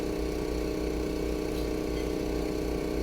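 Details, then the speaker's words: 2014 Toyota Corolla after fix for misfire codes (P0171, P0301-P0304) traced to a broken air intake part, codes cleared: quiet, steady idle with even low beat, no stumbles or misses; idle now normal. "फिर करता हूं आप देख सकते हैं बिल्कुल बराबर हो गई है"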